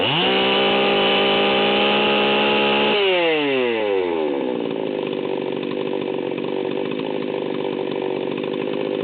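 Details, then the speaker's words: Stihl 038 Magnum chainsaw, fully assembled, high-speed needle test: screams flat out near 14,000 rpm, then drops with wet burbling four-stroking break-up; set super rich deliberately, to be leaned out later. "you can hear that this thing is running about 14 1 and it's running super rich"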